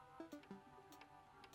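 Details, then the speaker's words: 1985 Tomy Chatbot toy robot on pressing speak, cog stuck at its top position: faint, irregular light clicks in small clusters with flickering lights and no motor running; won't speak or move. "okay so it's clicking and the lights are flickering but it is at the top here so the Cog it is at its utmost position so it won't actually speak or move"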